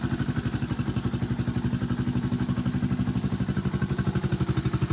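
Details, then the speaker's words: 1986 Honda Fourtrax TRX 125 ATV after light restoration: steady, even single-cylinder idle thump about four beats a second with light mechanical clatter; runs like new, no smoke, engine never opened. "runs like new no smoke uh mostly well i didn't take it apart or do anything with it because it runs so good full start works everything"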